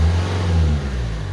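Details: Renault Twingo, in cabin, engine revving up under acceleration after reconnecting a hose with one clamp: clean, deep note with no belt squeal or chirp as speed rises.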